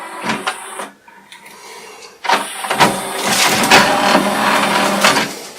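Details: Pioneer LaserActive player: a short electronic chirp, a pause, then a steady motorised whirr with light clicks as the large LaserDisc tray slides out smoothly; normal tray opening.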